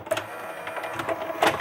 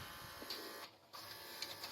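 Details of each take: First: JVC HR-DVS2 S-VHS/miniDV combo after capstan motor cleaning during repair: soft whirring with light irregular clicks as the VHS tape loads and runs, no grinding or squeal; normal tape transport operation. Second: Early-2000s JVC HR-DVS2 S-VHS/miniDV combo deck, heavily used and previously opened: stuttering plastic clicks and brief whirs in bursts as it strains to thread the tape, then silence. The tape doesn't turn and the sensor stops it; tired loading gear.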